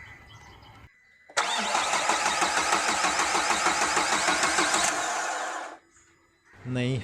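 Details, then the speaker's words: Renault Duster diesel parked four days, no start, after glow plug replacement for DTC DF025 preheating circuit: starter cranks steadily about three beats a second for four seconds but never fires; crank no start, high-pressure fuel pump later found choked with dust. "no no this car doesn't take long self to start starts withing 1 second let's try one more self no bro something else problem is there"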